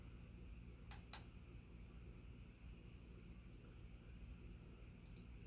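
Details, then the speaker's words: Sears/Emerson "Turn of the Century" 40-inch ceiling fan with KB55 motor on its low speed, which runs more like medium-low; a soft, steady low hum with only faint clicks and no knocking or rubbing, running smoothly. "Okay, so we're at a nice kind of, you know, as we know, the low speed on these looks more like a medium. This is almost like a medium low, though."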